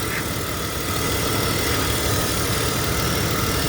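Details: BMW X5 E53 3.0i with misfire, coil pack unplugged at idle: idle turns lumpy and uneven with irregular dips as that cylinder drops out, showing the coil works; coils to be swapped to double-check.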